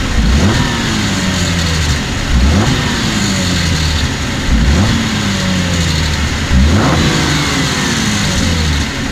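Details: 2014 Cadillac CTS V-Sport, 61,000 miles, revved in neutral in driveway: each throttle lift-off (coming out of boost) gives a brief tinny rattle near the turbo; dealership found nothing wrong, source unknown.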